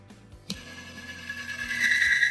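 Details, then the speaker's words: Engine cam and lifter test under load with assembly lube applied: sharp click, then a high steady squeal swelling quickly as amp draw rises and the contact scuffs and fails, ruining the cam and leaving metal shavings despite lube remaining. "you can hear the bearing squeal and hear it fail as you can see there is lots of assembly Lube still on both surfaces but cam is ruined and now we have metal shavings in the engine"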